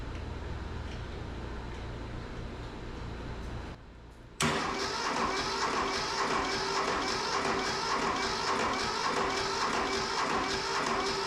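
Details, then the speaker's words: Mitsubishi MT372 diesel tractor, long sitting: slow, labored cranking under two turns a second, never catches; no start, with hot ground cable grounded only to steering column and an added ground not speeding it up; owner suspects weak battery or fuel supply. "That don't sound no faster. Put a little jump pack on it maybe, I don't know. I don't know if this battery's any good, maybe that was our problem."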